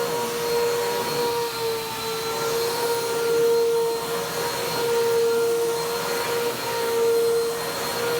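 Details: Vacuum cleaner, Bissell PowerTrack Compact 1808 or 2012 Hoover WindTunnel 2 Rewind, found discarded: dust blows from the motor, which gives a strained, wavering whine surging about every two seconds over a rushing roar; needs servicing.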